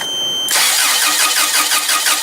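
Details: Toyota 7FG U25 forklift with a no-start complaint, compression judged fine from cranking, spark tester on one plug wire: even cranking at roughly six beats a second, never fires or catches. Crank, no start.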